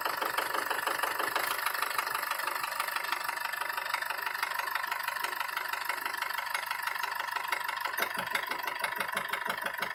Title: Стук двигателя Бмв M47TU